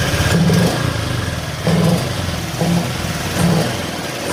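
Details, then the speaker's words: Honda Vario Techno 125, first fuel-injected Vario, owner's complaint confirmed: blipped about once a second, each rev rising sluggishly, rough and muffled, "ngempos dan ngorok" on initial throttle; hesitation on initial throttle. "Nah jadi betul ya teman-teman kata si pemiliknya jadi seperti itulah penyakit motornya Udi gas itu ngempos dan ngorok"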